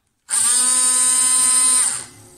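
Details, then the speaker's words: Windshield washer pump starting when the wiper stalk is pulled back, giving three wiper sweeps: high, steady whine starts sharply, holds about two seconds, then winds down; normal washer pump operation. "if we pull the little hand backwards, it makes three sweeps in the windshield wiper the raque ta and we can see that or hear that the pump starts up"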